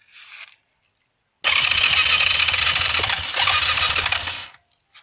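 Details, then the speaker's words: 2003 Yamaha Kodiak 400 automatic ATV, flooded, water in the oil, has spark, needs top end rebuild: about three seconds of quick, light, even cranking with thin starter whirr and no firing; owner suspects no compression. "yeah it sounds like it's got no compression but when I do start it the overheat light comes on you can hear it going and stuff"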